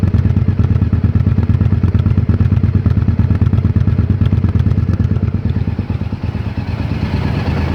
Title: 2001 Honda XL1000V Varadero Rough Idle